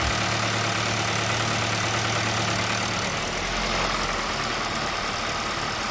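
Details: 2021 Nissan Rogue with 55.6k miles, warm engine at idle: a faint, uneven ticking about three per second over a steady hum. The noise persists after warm-up; the dealer says there is no problem, and the source is unclear.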